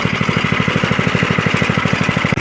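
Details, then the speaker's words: Engine of a 1983 Stinger go-kart under restoration, after clutch engagement check: quick, even single-cylinder putter at about ten beats a second, steady with no misses; runs healthy, and the noise heard came from the steering wheel. "see the engine sounds good"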